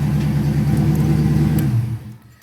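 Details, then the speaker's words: Fox-body Mustang V8 with BBK intake, Edelbrock throttle body spacer, mass air conversion and MSD ignition, just after replacing the starter solenoid: fires right up and runs strong on a light rev, no misfire or knock; ignition timing still needs setting. "you can see from my last videos and it fires right up now the next thing I got to do is time it um I know it does need to be timed but starts right up and runs like a champ"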